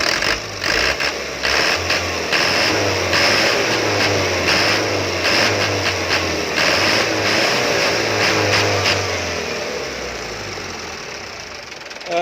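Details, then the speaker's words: Mitsubishi Canter diesel with a hard start that needs throttle and a limp, stumbling run. A worn injection pump plunger was refitted. Uneven, lumpy running with a harsh clatter. Injection pump timer gear found jumped one tooth. "ini baru bisa hidup gampang setelah pedal gas diinjak meskipun hanya sedikit sampah di injak pedal gas nya akan menjadi lebih panjang untuk proses hidupnya sedangkan suara ini agak kasar"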